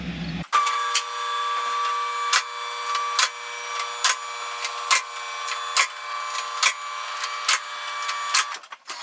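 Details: High school mini truck before in-tank fuel pump upgrade: steady high-pitched whine with a sharp click about once a second from the loud old fuel pump, little engine rumble.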